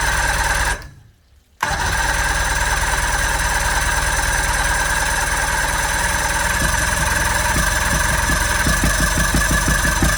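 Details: 1979 Johnson 90 hp Seahorse V4 outboard on water muffs, 50:1 premix, run out of gear: fires and settles into steady buzzing idle with light regular patter; telltale plugged. Normal running.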